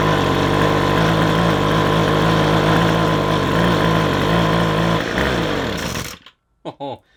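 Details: McCulloch two-stroke strimmer won't run off choke: buzzing, fairly steady pitch with slight pulsing beat, going bop-bop-bop instead of revving, then dies; insufficient petrol, blockage suspected, filter to be swapped.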